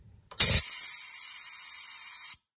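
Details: Two-year-old Kobalt Quiet Tech 4.3-gallon air compressor: sudden hard hiss of air for about two seconds right at switch-off as the tank vents; owner's research blames the check valve; motor may also have contact or start issues.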